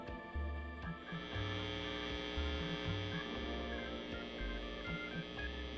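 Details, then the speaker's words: Soldano prototype tube guitar amp, basis for the Soldano 44, built in an Astroverb chassis, controls at 12 o'clock with reverb up: constant mains hum with sharp pops; sounds like an open jack, dirty pots found, cause not confirmed. "Almost sounds like an open jack."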